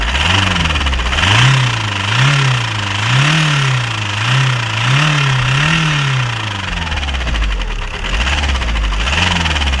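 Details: VW Golf 4 1.9 TDI 116 hp (AJM) diesel idling with a repeated heavy knock rising and falling as revs wander; cause was rod bearing failure, engine replaced.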